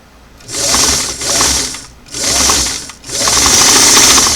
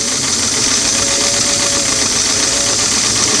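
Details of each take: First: Singer sewing machine (338) on restored clam-shell foot pedal with four carbons removed, before adjusting mounting and shorting clip screws: high whirring motor bursts cut in hard and drop out, nothing then too much, no gentle slow speeds; pedal speed control too abrupt. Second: Singer sewing machine on a restored clamshell foot pedal after quarter-turn adjustments, four carbons removed: steady, even high whir run full-out with no surging or catching; the pedal is getting pretty close to properly adjusted.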